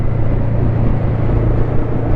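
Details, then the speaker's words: Motorcycle with 140,000 km, clip-on mic at cheek inside helmet, riding with even engine and road rumble and no squeal after mechanic filed down a plastic shim that had been squealing; normal running. "Mais là maintenant tout est résolu, elle couine plus ma moto, je suis content."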